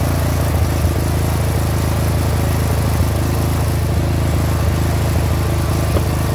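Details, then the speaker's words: 30-year-old Murray riding mower, 13.5 hp Briggs & Stratton overhead-valve engine, new carburetor: even steady single-cylinder chug, no popping or backfiring, previously spitting and backfiring. "that sounds much better let's just take it for a ride let's see what happens"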